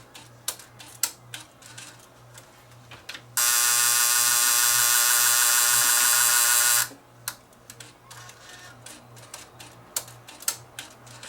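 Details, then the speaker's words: Fostex D10 DAT deck showing Error 02: loading motor whirs about three seconds then quits amid scattered clicks; tape loading cycle not completing, cam gear under inspection. "It's not full. It's not completing the loading cycle."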